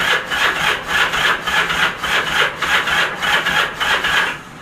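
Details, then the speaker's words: Motorcycle unrun for about 35 years, clutch pulled, ignition in run: slow uneven chuffing crank about two beats a second, labouring on compression without catching; spark to be checked. "Seems to turn over alright. Start seems like it's kind of chugging a little bit."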